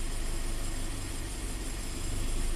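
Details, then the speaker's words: 2015 Scion FR-S 2.0L direct-injected boxer, code P000A, low power and limp mode. Commanding bank 1 intake cam timing to 23 gives actual angle oscillating between 10 and 30. Deep, uneven, loping idle; intake cam solenoid is suspect. "And you can see it's oscillating. And you can hear it oscillating. So this change angle, it's going between like 10 and 30 now."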